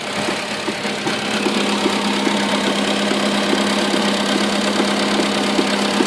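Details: Skoda Rapid 1.6: irregular light knocks about twice a second over a steady hum, a clunk present; owner suspects the steering rack, not confirmed.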